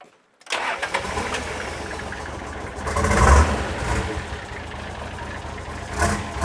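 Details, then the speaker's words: Coil-cab Nissan Patrol diesel, first start after reassembly, injectors cracked to bleed: cranks steadily and almost catches a few times without running clean; likely air still in the fuel lines. "You sound like it almost wanted to start though. It did almost want to start."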